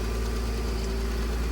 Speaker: All right, we got her running just on a little bit of choke. She's pretty cold. It's been a cold day today.